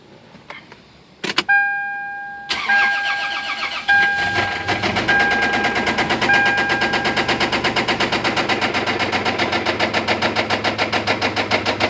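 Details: 3rd-gen Toyota 4Runner after being stuck in mud nearly sideways and possibly revved too hard; owner suspects lost oil pressure and internal damage: after cranking, idle settles into loud regular clatter each turn — engine knocking, source unconfirmed.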